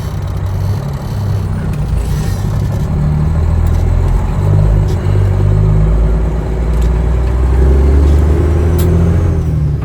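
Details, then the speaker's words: Truck with 389 engine on the road under load after repair of a miss: deep diesel drone climbs smoothly with throttle under road noise, no stutter or miss, holds through the RPM range; pulling healthy. "No miss there at all. Pulls out better. Yeah. Pulls the RPMs up better. I don't hear the first miss, do you?"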